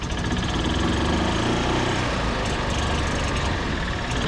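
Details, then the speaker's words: 1964 International pickup, started on a jump pack: loud, uneven low chugging with a ragged, lumpy idle; running rough whether a certain component is connected or disconnected. "I disconnected that thing it's running bad I with it hooked up it's running bad"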